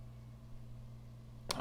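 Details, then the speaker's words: 2003 iBook G3, 800 MHz PowerPC 750FX, booting Mac OS 10.2.4/9.2.2, mic near the drive: steady low hum then sudden harsh clicks and scratching, sounds like it's electrocuting itself; failing hard drive noise. "oh man that hard drive sounds brutal I'll put my mic up there again sounds like it's electrocuting itself yeah I suspect this hard driv is on its way out"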